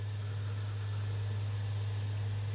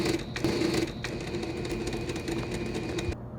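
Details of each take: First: PS5 model CFI-1216A, five weeks old, after removing an object jammed in the disc drive: smooth, steady low hum as the disc spins up, with none of the earlier clatter; normal disc spin-up after repair. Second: PS5 model CFI-1216A, five weeks old, disc drive with an object jammed inside that stops discs loading or ejecting: loud whirring and clattering as the mechanism keeps straining and repeating its cycle, trying to dislodge it; drive jammed by foreign object.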